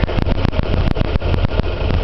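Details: Nissan Hardbody, warm at operating temperature, heard at the exhaust: rough idle like running on two cylinders after a new timing kit with marks confirmed. The old chain had not jumped a tooth but its guide was shattered. The problem began after a fill-up, so the owner suspects bad gas.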